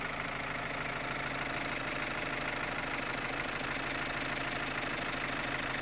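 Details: 2015 Opel Astra H Z16XEP petrol engine: sharp, fast, even valvetrain-type tick over idle, quickening with revs; stops when cylinders 3 and 4 are cut, tappets and injectors ruled out, non-original camshafts suspected; cause not found.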